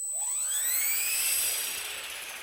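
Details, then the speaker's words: V400D02 RC helicopter after gear repair on the bench: clean high whine sliding smoothly down as rotor spools off, no rattle or skipping-cog vibration as before; gear train now meshing normally. "anyhow that seems nice and quiet [Music] and it doesn't have the vibration that it did you could kind of hear it in the gear you know when the motor was running it was kind of missing a cog"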